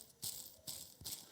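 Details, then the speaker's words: Vintage lawnmower cutting drum ball bearing removed and spun by hand: three dry, gritty rattling bursts from a worn bearing. The bearing blocks were also worn by about 0.3 mm. "now this bearing is definitely worn you can hear it now"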